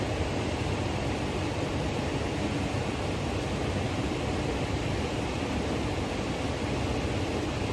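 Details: Trane variable-speed furnace blower motor during fail-and-repair: smooth even rush of air with no rubbing, ticking or wobble; board flashes 11, meaning 1100 CFM, which is doubted, so the door is to be fitted to check ramp-up; blower runs normally.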